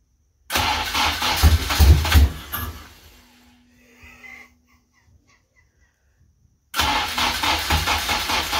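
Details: Honda K24-swapped AE86 Toyota Corolla at first start, no coolant, missing about half its sensors, injectors possibly gummed: engine catches, surges unevenly, stumbles and dies, restarts and runs lumpy with misfires; heavy blow-by noted.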